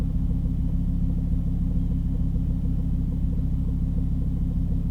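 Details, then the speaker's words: Volvo V50 T5 cold start after sitting 15 hours. A deep, steady idle rumble with faint, uneven light ticking and no manifold squeal. It is a new cold-start sound that goes away once warm after about a minute of driving; the source is not pinned down. "see it's most likely unrelated but that did sound is gonna be here once it drops down on idle"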